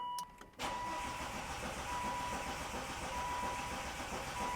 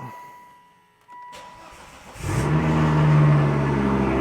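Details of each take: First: Volvo V70R after engine reinstall and automatic-to-manual swap, first start attempt: starter churns steadily and unevenly, never fires, with crank sensor and injectors unplugged to prime oil to turbo; six dash warning lights shown. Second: Volvo V70R after engine reinstall and manual swap, crank sensor reconnected: short crank catches quickly into an even idle near 1,000 rpm cold, no ticks; single-mass flywheel silent, no chatter, engine sounds healthy.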